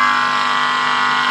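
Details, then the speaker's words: Crimson CR 1222D power mixer after driver-board repair, OCL driver with toroid transformer and 2 electrolytic caps: touching input with capacitor gives steady strong speaker buzz that cuts off sharply; driver output normal. "di bagian inputnya kita bisa sentuh menggunakan kapasitor dan speakernya sudah ada suaranya ya di output mesin drivernya"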